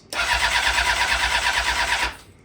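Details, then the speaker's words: Rebuilt blown-up Honda CBR 600RR, first start attempt with a fresh battery: a strong, even crank for about two seconds but no fire because no fuel is arriving. The motor sounds good; pinched hoses are to be checked. "Yeah, there's something going on with the no gas. So, we're going to start tearing stuff apart, checking stuff, uh, checking hoses, making sure that they're not pinched or anything like that."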